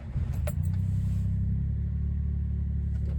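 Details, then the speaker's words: 1996 Suzuki Jimny K6A turbo manual, cold start in cold Washington weather: fires promptly and settles into a smooth, even, slightly raised idle with no ticking or stumble; normal higher cold idle. "As you can see, cold start there. It does idle a little bit higher when it's cold start, like every car does."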